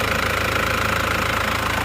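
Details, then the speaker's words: Isuzu Panther diesel with second-hand block, thermostat fitted, warm at about 80–85°C: even, fast idle clatter with steady beat, no uneven knocks, much smoother than before; normal idle. "ini sudah jauh mendingan lebih halus daripada sebelumnya teman-teman kita dengarkan suaranya setelah mesinnya panas"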